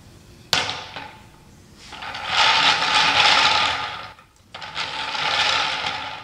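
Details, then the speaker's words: Homemade wooden flat thrust bearing run with yellow 9/16" glass marbles, slightly oversize so the race clears the cage: two spells of rolling whoosh with an uneven, gritty rumble; runs rough because the marbles are not round. "using all of yellow marbles it's not too bad they're a little bigger in diameter and the race is not touching the cave still they're not round and it runs rough"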